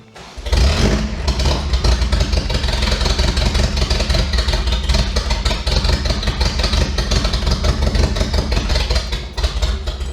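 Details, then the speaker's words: Toyota 4Runner left sitting 10 years, just after reconnecting fuel filter and lines: starts and runs with an uneven, stumbling beat, not on all cylinders; slightly improved running. "It definitely doesn't seem like it's running on all cylinders. Is an improvement on its running condition."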